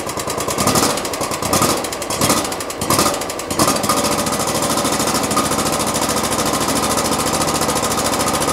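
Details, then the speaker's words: 2016 Exmark Lazer mower, 27 hp Kohler V-twin, about 3,800 hours, restarted after the carburetor work: irregular heavy knocks over rough running for a few seconds, then a steady low idle with no leaks; knock, cause unclear. "hmm that knock does not sound good i would hate to have to buy a new motor right now"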